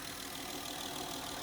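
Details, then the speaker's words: 2009–2015 Honda Pilot 3.5 V6 J35, about 96,000 miles, just after valve cover, VCM and PCV valve replacement and intake hose repair, jump-started: even idle with smooth airy hiss, no ticking or misses; engine runs clean. "Holy smokes, it runs. It's under the hood. Sounds good. No more leaky valve cover gaskets."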